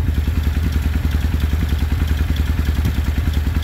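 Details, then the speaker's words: 1995 Suzuki Intruder 800 V-twin revived after 13 years of storage, electric fuel pump: deep even lumpy thump at about three and a half beats a second, no knocks or rattles; carbs out of sync, top one suspected. Normal running. "Not time, I mean the carbs aren't synced correctly, but it's healthy. It sounds good."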